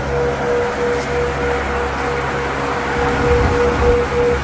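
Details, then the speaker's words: 1993–02 F-body with stock electric fans fitted as pushers on a stand-up radiator, bracket not yet made, both fans on; steady even air rush and low hum, no rattle or scrape: normal cooling fan operation. "all right there's both of them on man I can feel the wind out here"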